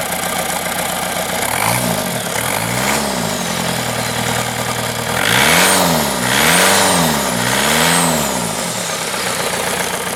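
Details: Used VW 1.9 TDI 1Z (AHU) engine, 74,300 miles, with AC compressor, dirty and oxidized: revs climb and fall back cleanly with even clatter, no knocks or misses; healthy, free-revving diesel running.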